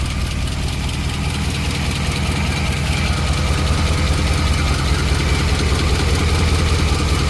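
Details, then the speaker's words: 1963 Chevy Impala small-block V8 being started during valve lash adjustment: a steady idle with a quick, even ticking that stays locked to engine speed, from loose valve lash; afterwards slightly quieter. "Um, little girl been making a ticking noise. I already know what it is. The valves need to be adjusted."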